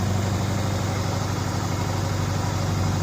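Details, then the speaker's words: 2004 Subaru Impreza engine, first run in months after reassembly with a JB Weld-repaired stud, smoky from cleaners burning off: low, even idle with constant beat and no tapping or misses. No banging; it didn't destruct itself. "The nice thing is, there's no bang, bang, bang, bang, bang. So, Yeah. it didn't destruct itself. It's not kabooming."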